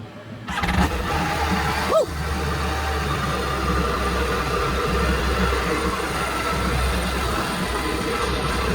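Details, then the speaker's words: 2011 Yamaha AR210 boat, original engine replaced with a used low-hour, good-compression MR1 jetski engine, first start after install on flush hose; catches after brief crank and settles into a steady even run, no knocks or misses, healthy. "The engine has been installed, all the plugs are in, I have my hose in. See, it turns on."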